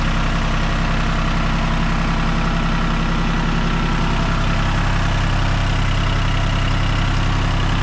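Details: 40-plus-year-old John Deere 750 diesel tractor, after sitting, running after ignition switch, wiring and battery cable repairs: steady, even diesel rumble with a smooth regular beat and no knocks or misses; engine runs healthy.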